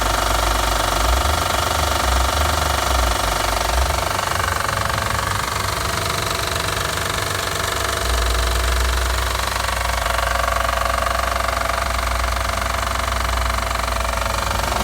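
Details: 2009 Acura TL SH-AWD petrol engine at cold start: a steady, hard knocking of about four beats a second over the idle; cause suspected, not confirmed.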